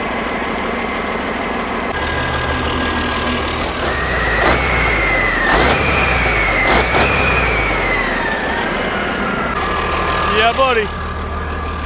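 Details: Rebuilt diesel truck engine after mechanical timing set with timing meter, fuel system primed: fires and runs with clean even clatter, no misfire or stumble; timing sounds right; normal running.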